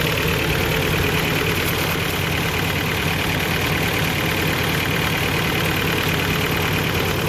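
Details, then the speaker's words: Toyota 22RE with new timing chain and water pump, fresh fuel after weeks unstarted: uneven, shaky, lumpy idle with some smoke; no throttle response, bogs when floored; owner suspects TPS sensor, unconfirmed; rough idle. "It will pretty much idle like this the whole time and run, but obviously, like I showed you, I can't get no throttle response, so I can't drive it."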